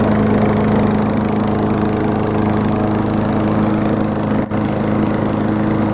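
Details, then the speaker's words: Small old lawnmower engine at full throttle with throttle spring bent for more throttle and muffler opened into an expansion chamber: steady high drone with harsh raspy exhaust bark, especially loud. "lawnmowers are loud in general, but this one's especially loud."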